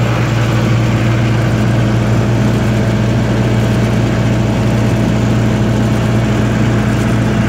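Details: 1995 Libby MEP-804A 15 kW ex-military generator, 4-cylinder liquid-cooled Isuzu diesel rebuilt in a 2010 reset, 688 hours, new filters and fluids, started cold, governed 1800 rpm: even deep drone, no knocks, misses or rattles, runs great, no leaks.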